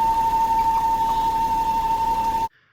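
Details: Wife's Volvo at idle (stand-in recording of the same noise): steady high whistle near one kilohertz, unchanging pitch; vacuum leak from a torn PCV valve diaphragm in the PCV trap by the oil filter housing.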